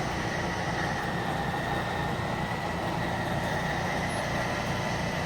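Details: RV slide-out on a Suite 16 rental, extended by its switch with the key out of the ignition. An even motor hum with a faint high whine runs smoothly and without interruption; operating normally.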